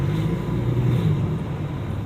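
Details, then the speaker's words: Engine revving after a fresh oil change: loud, deep heavy rumble with little pitch change and little power; owner suspects the oil is not thick enough and plans to add oil stabilizer. "it's very loud um and like I said the car is not dramatically changing so I just feel like it's compressing out a lot a lot of air"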